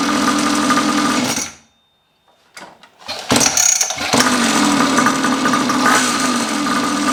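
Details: Neglected long-stored 49cc two-stroke pocket bike after carb cleaning, new fuel tap, fuel line, filter and tank; buzzes steadily, stops briefly, then fires up again and settles into an even, healthy run.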